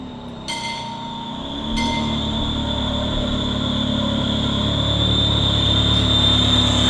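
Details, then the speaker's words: Ferrari 360 running with a steady high-pitched hiss-whistle over the idle that goes away under full load; owner weighs a belt but suspects a vacuum leak. "play like a vacuum leak either that or the belt or in the belts but if it was a belt why would it go away faster no it's under full load it goes away I think it's a vacuum like"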